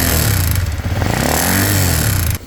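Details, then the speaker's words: Stock Honda RS150, 21,000 mileage, gently ridden: quiet at start but harsh rough clatter when revved, dropping off on release; tensioner first suspected and replaced without effect, cause found to be broken piston. "So bunyi dia macam ni tau. Bila kita start kan dia tak ada bunyi. Tapi bila kita RAM kita suspect mula-mula tensioner dia yang problem."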